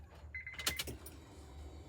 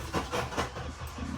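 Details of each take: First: JDM Honda CR-V that sat unused for a year: a short high buzz of about half a second, then clicks and quiet. The fuel pump is priming with the ignition on before cranking, and the engine then starts. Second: JDM Honda CR-V that sat abandoned a year, key cycled to build fuel pressure: quick even cranking beats about five a second that fade with no firing; crank no start, later found something wasn't hooked up and it then started.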